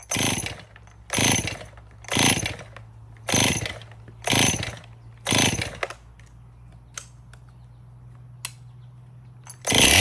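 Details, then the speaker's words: Used Stihl MS 261 chainsaw, bar and chain removed, fresh fuel: surges to a screaming high rev about once a second, then dies; over-speeding, lean from crankshaft seal air leak, suspect fuel line found; crankshaft seal vacuum leak. "Well, that thing does run, but it's over speeding, and I'm glad I took the bar and chain off at first."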